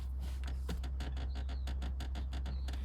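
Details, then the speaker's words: BMW F46 218i Gran Tourer (Japanese import): rear seat creaks and squeaks over bumps, reproduced by rocking the folded seat by hand; squeak stops when seat slid forward, owner suspects seat guide rails, plans anti-squeak tape. "Да. И когда на кочках еду, получается, оно скрипит. Вот. Вот примерно вот так же отвратительный звук."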